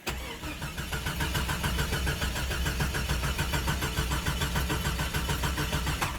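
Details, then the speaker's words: 1996 Jeep Cherokee Sport 4.0, hot at the temperature gauge, died after about 13 minutes of running; it typically dies after about 20 miles and won't restart until it cools for 1–2 hours: the starter churns steadily but the engine never catches. Hot crank, no start. "It won't crank back. Right there is what the temperature gauge says. Yep. It ain't going to crank back, guys."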